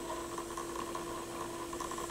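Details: Pioneer PL-707 turntable, platter turning: faint steady hum with soft uneven whirring flutter, seemingly from the drive motor; source not found (not the grease), belt popped off while testing, lithium grease then applied; cause unconfirmed.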